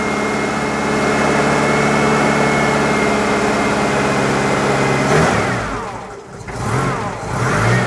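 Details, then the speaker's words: Citroen GSA flat-four just started after electrical repairs: steady high whine over the idle that bends with revs; alternator bearing very noisy, battery reading only 12.4 V instead of about 14. "that alternator is massively noisy"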